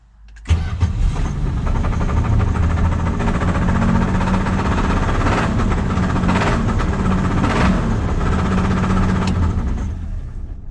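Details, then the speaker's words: 1978 Plymouth Volare slant six, first start after sitting for years: catches and runs rough with a low, uneven thumping under idle, seemingly low in the block; owner suspects engine knock, maybe exhaust leak. "Is that engine knock or exhaust leak? It definitely sounded like an engine knock, but Well, maybe there's a. I'm no mechanic."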